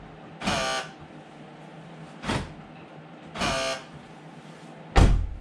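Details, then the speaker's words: 2011 Dodge Grand Caravan sliding door lock actuator, intermittently failing to lock: four short raspy electric buzzes as the lock cycles; owner suspects worn actuator, which is being replaced. "that noise that little buzzing noise uh is getting annoying and from my understanding it will eventually lead to the point where the door lock does not work anymore"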